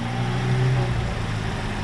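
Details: Freshly rebuilt Daewoo Lanos engine at hot idle, oil pressure at idle about 3, excellent: low, even hum with a steady pulse and no knocks or ticks; smooth, healthy, car ready to return.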